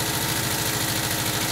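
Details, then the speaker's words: 1979 Volkswagen Type 2 with 2-liter fuel-injected flat-four engine at idle: rapid, even metallic clinking like bottles tapping; cause unconfirmed. "It sounds like you're banging two glass bottles together."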